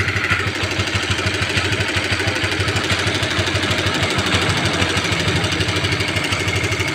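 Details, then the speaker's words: Honda CB150R idling with a rough noise from the cylinder head; fast, loose metallic ticking rattle about three per second over the exhaust beat. Mechanic suspects a stretched, loose cam timing chain or a failed tensioner, not yet confirmed. "kedengarannya Bro itu sepertinya Kalau menurut saya seperti suara Rante Keteng atau rantai timing yang molor ya Bro alias kendor"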